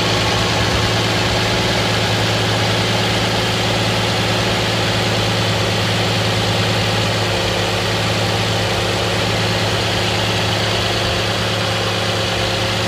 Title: 2010 Nissan Maxima cold start (no knocking noise)